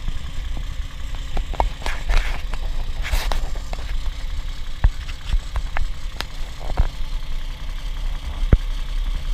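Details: Toyota 1G-FE (Altezza / Lexus IS200/IS300), hot idle: sharp, irregular knocks about every second over a steady low idle. Heard only after the thermostat opens, not cold, from between head and block. VVT clutch suspected, unconfirmed.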